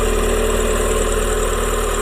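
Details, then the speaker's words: Renault Twingo 1 Initiale, idle right after top-end reassembly following 18 months off the road: steady even idle with smooth low hum, no knocks, ticks or misses; runs normally, seemingly more lively than usual. "remarque rien d'anormal elle tombe très bien dirais même qu'elle avait plus de pêche que d'habitude"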